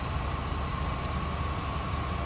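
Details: 1986 Lincoln Mark VII, 5.0-liter 302 V8, hood open: low, smooth idle holding a steady beat with no misses, knocks or ticks; healthy engine at rest.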